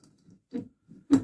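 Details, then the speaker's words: Barford Atom axle ratcheting hub turned by hand after removal, before cleaning: only a few faint uneven clicks, sometimes turning backwards; dry ratchet pawls slipping and unreliable. "but it's not sometimes it goes backwards it's very it's not going to be reliable like that you can't hear the click only a little bit there's a little dry bit"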